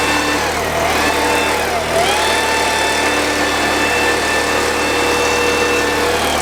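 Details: Husky 3650 generator, $50 marketplace unit after carburetor replacement, started on choke with one pull: steady, even drone with constant tones and no hunting or surging; normal running.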